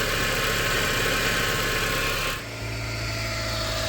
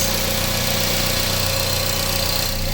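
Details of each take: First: 2006 Mazda MX-5 Miata NC, 186k miles, before replacing the power steering pump with an aftermarket one. A loud steady whine sits above the engine note and holds its pitch; the worn, noisy power steering pump. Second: 2006 Mazda NC Miata with 186k miles, started after the power steering pump was replaced: a smooth, even idle with a steady low hum and no ticks, knocks or whine, much quieter than before, with no leaks seen.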